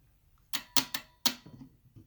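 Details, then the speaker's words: JARD 24 V relay (92290 series) with about 75-ohm coil, energized on the bench: a few sharp, crisp clicks in a quiet room as it pulls in and terminals 2 and 4 gain continuity; normal relay operation. "we can hear The Clique and now the relay should get energized that means number two and number four get connected together"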